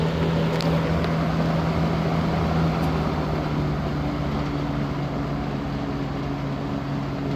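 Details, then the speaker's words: 1970s Galaxy Turbo Stream 20-inch three-speed box fan on test run: steady low fan hum with faint uneven light rattle; guard cage loose because its screws haven't been tightened yet. "Got a little cage rattle. I haven't tightened any screws or anything up on it."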